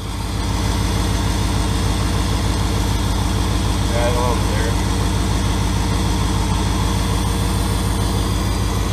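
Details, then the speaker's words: Turbo 5.2L Dodge Ram V8 at idle with newly built exhaust and new clutch, pipes not yet warm: steady even idle with a faint regular ticking puff; owners suspect a leak off the bottom of a V-band clamp. "looks like it's leaking of the VV in there a little bit leaking off the bottom of the V ban there I think"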